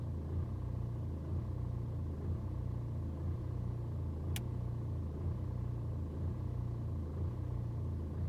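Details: BMW 120d N47 diesel on a cold start: low, uneven idle pulse about once a second as revs hunt for over two minutes; rough cold-start idle, absent on warm restarts, no helpful fault codes.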